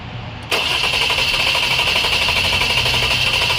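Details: 2011 Jeep Grand Cherokee 3.6L fitted with a used engine and engine harness; steady starter cranking at about three turns a second that never catches. Codes P0202 injector 2 open and coil 1, 4, 5 insufficient ionization. Crank, no start.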